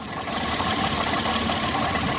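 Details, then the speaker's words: 1988 BMW 528e M20 idling with a busy, fast metallic rattle from the back of the engine; intermittent knock at part throttle 2500-3500 rpm, owner suspects throwout bearing or clutch area, not rod. "okay this first rattling sound is coming from the back of the engine"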